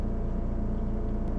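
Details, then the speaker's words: Medical-grade air compressor, repaired after being slated for disposal, running after pressure is drained: very quiet steady low hum with smooth quick pulse, intercooler fan audible, no knocks or rattles; normal running. "have you guys ever heard of an air compressor that quiet that's absolutely amazing listen to this guy"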